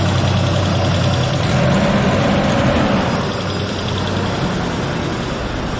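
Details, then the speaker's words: Engine at idle after an EGR fix and reseating loose spark plug wires: a light, fast rattle of about four per second over the engine note, called dirty; Seafoam treatment planned; cause unclear, possibly carbon deposits. "Oh, you hear that rattling? Yeah, that's dirty."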